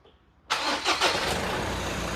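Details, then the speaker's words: Mazda BT-50 Pro manual gearbox after replacing bearings broken by wrong gear oil and refilling with 75W-85: engine cranks, catches, and settles to a smooth, even idle with the earlier clutch-dependent knocking gone. "เงียบเลยนะครับไม่มีเสียงดังแกกๆๆๆๆๆๆๆๆแล้วนะฮะอ่าเงียบแล้วนะฮะ"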